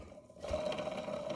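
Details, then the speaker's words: Blown 2017 Polaris RMK Pro snowmobile engine torn down on the bench: a crankshaft main bearing turned by hand gives a rough gritty rattle with a faint ring, while the mag-side bearing is silent; crank bearings need replacing. "if you listen really carefully uh you'll hear this bearing making noises bearings shouldn't make so yeah that's definitely a significant problem"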